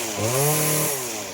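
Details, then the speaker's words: Stihl FS 40-C two-stroke string trimmer cutting Bermuda grass at full throttle under load; high, steady scream holding pitch with no burbling or four-stroking, showing enough fuel, torque and horsepower, unlike when revved out of the grass. "now it won't do that when you're in grass that means it's getting enough torque it's getting enough horsepower"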